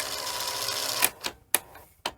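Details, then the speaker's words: Sony SL-HF100 Betamax tape lacing/loading mechanism after repair and tension adjustment: whirring run, then sharp clicks and clacks about half a second apart as loading finishes; still sounds rough, a gear may have come off. "still sounds a little bit funny but oh oh do the gear come off the bottom again"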